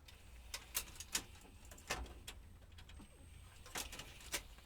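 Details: Technics SL-MC400 CD changer after repair: scattered light clicks and a brief faint whir as it changes discs, with no grinding or catching. Normal disc change.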